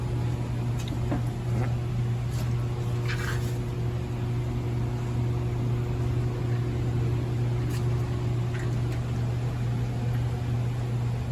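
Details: 2007 Honda Civic AC replacement, vacuum pump evacuating the system: steady low drone with an even hum holding constant, no surging or knocking; pump running normally.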